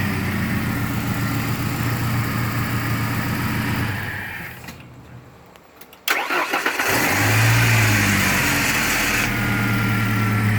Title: 93 foxbody 2.3l rough idle